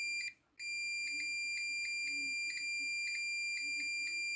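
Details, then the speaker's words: Mercedes KE-Jetronic throttle position sensor test: multimeter buzzer sounds steadily across the middle ground pin and the idle pin, showing the idle switch closed and working. "as you touch with the positive cable the one for the idle you must hear the buzzer"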